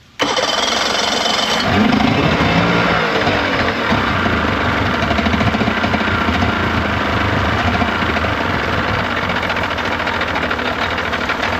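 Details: 1995 Yamaha 75hp two-stroke outboard on a pontoon boat, run in a test tub after water pump replacement and new plugs gapped to 0.040 in: catches at once, steady and busy on choke, slightly rough while cold; healthy.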